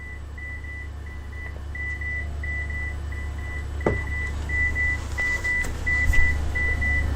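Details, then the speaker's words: AALogic cable fault locator on aerial resistive cable fault, gain reduced with F2: steady high beeps about three a second fade and return louder as hand coil moves across the cable; normal dip and recovery from the twisted faulted pair. "we're going to move the hand coil on the cable and you can see that it dropped and came back up this is a normal process"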